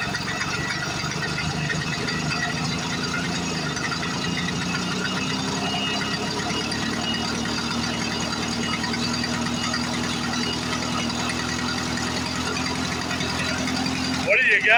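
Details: 1940s Frazer B1-7 rototiller that sat in a shed for years, started after oiling the cylinder and adding carb cleaner with the choke on. Small single-cylinder two-stroke popping at a steady, even beat with no misses or stalls; it runs healthy.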